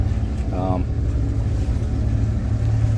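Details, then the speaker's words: Mercury outboard, back end dropped in water on trailer, in gear at about 2,000 rpm after new fuel-water separator: steady, even, smooth drone with no misses; running normally. "I got it in gear I'm just letting it letting it run for a little while make sure all is good before uh before we get in the water but it's so far seems to be doing pretty well it's at uh 2,000 RPMs"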